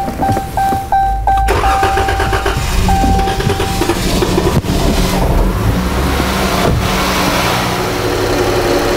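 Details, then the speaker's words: 2018 Chrysler 300 with hard start and code P0339, crank sensor already replaced twice. Key-on chimes, then a long crank before it catches. "what i'm interested in is to crank this engine over and capture the data during the hard start condition so i can try to understand what's causing that failure"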